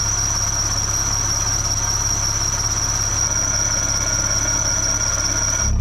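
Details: K-swapped supercharged K20 Civic wagon with K24 crank pulley at idle; loud steady high-pitched squeal riding constantly over the idle, a slipping serpentine belt.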